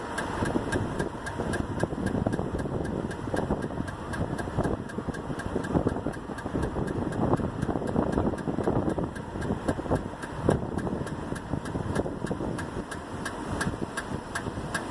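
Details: 1999 Toyota Avalon, rear driver's-side wheel noise that began after two new rear tires were mounted: a steady rhythmic ticking over a quiet idle, cause unknown.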